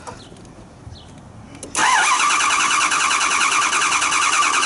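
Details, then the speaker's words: 2009 Dodge Durango: after a quiet spell the starter cranks steadily at about 200 turns a minute but the engine never catches; no start because fuel pressure is below the roughly 49.5 psi needed. "um i'm working 2009 um dodge durango at least i need to have a few pressure at least 49 and psi half psi and with 100 psi is why the truck doesn't start we need some fuel"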